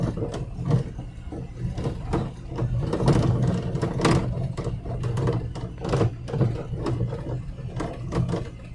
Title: Steering Rattle sound #subscribe